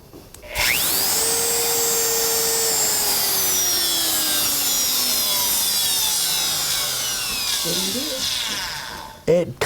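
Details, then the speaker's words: Wood-sign carving router winds up to a high whine, holds, then coasts down with a rough edge to the tone; the owner says the bearings are going out. Finding: worn router bearings. "wouldn't you guys want to know when your bearings are starting to go on your router that's what it sounds like"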